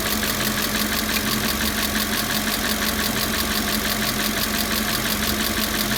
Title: 2000 Audi A6 4.2 ticking noise